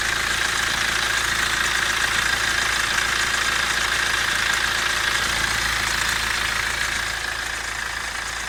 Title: N47 116d timing chain noise?? Or?